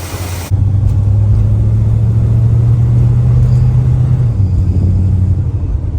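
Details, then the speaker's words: 1967 Plymouth Belvedere V8 on a cold test drive after the belt squeal fix with a relocated power steering bracket: deep, even rumble pulling steadily, no squeal or chirp from the belts; quiet, healthy accessory belt drive. "She's running all right. Cold, very cold-blooded. So nice without the belt squealing. So much better."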